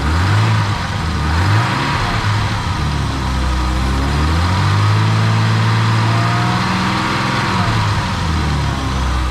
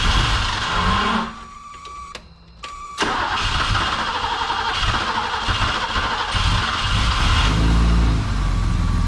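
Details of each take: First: Old BMW E12 after dropping and cleaning a rusty fuel tank and replacing a torn fuel hose for a fuel-cutting issue: blipping the throttle, revs still dip briefly instead of climbing cleanly; cause unclear. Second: Old BMW E12 after fuel tank cleaning and a torn fuel hose replaced: with a totally dry fuel system the starter churns, pauses, then the engine catches and settles into a steady rumbling idle; fuel pressure afterwards is 30.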